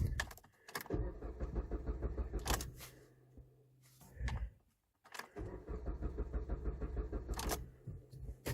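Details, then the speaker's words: 2010 Jeep Compass (manual) no-start, corrosion suspected: starter turns the engine in even rapid chugs for about two seconds, twice, with a faint fuel pump hum between, and it never fires; crank no start, fuel pump heard running. "right I hear the pump it's not a fuel pump"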